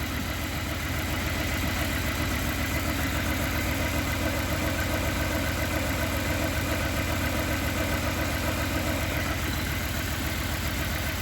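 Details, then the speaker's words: Honda Accord CB7 with G23 engine at idle: regular stumble of about 2.5 per second from a dead cylinder 2. A noid light shows the ECU pulsing the injector, so injector number 2 itself is suspected, pending a bench test. "now we know there's a problem with injector number to know if there's a problem injector number two"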